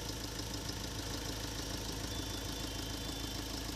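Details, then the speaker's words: Mahindra Scorpio M Hawk diesel after full engine overhaul, fuel line bled with clean diesel, first start: steady even diesel idle clatter, no knocks or rattles; normal idle. "तो दोस्तों गाड़ी अभी start हो चुकी है आप देख सकते हैं और इंजन की साउंड भी आप सुन सकते हैं"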